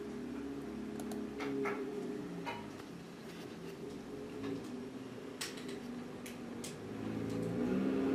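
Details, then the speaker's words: VAZ 2110 8-valve engine idling with the alternator mounting bolt loosened: light, fairly even tapping about four per second; alternator knocking on a worn, peened mounting seat. "вот такой создаётся при отключенном болте ва генератора"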